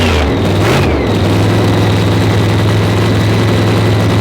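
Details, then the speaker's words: Blown Hemi with dry sump, after timing check and leaning the carburetor because cylinders seven and eight were spitting: a quick blip, then a deep, loud, even roar with all cylinders firing. Normal running. "yeah hear them other two come alive oh yeah it sounded good you could tell it soon as the crank when it went in the header yeah i was like damn the thing sounding sick"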